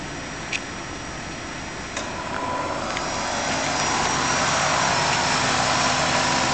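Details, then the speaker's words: 1994 Buick Roadmaster LT1 at idle after A/C compressor replacement: a click as the clutch engages, then a rough rising growl over the engine; stethoscope check points to the compressor itself, not the bearing; A/C cooling ice-cold, with pressures around 30 and 150. "works fine is just a little bit noisy growl and the county put a stethoscope on they said it's not for mean barring it's the compressor itself does that sound normal"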